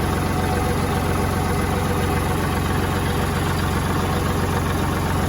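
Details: Kubota tractor after fixing a no-start by repairing the ignition switch wiring: steady, even diesel chug at idle with a regular beat and no knocks or misses; engine running healthy.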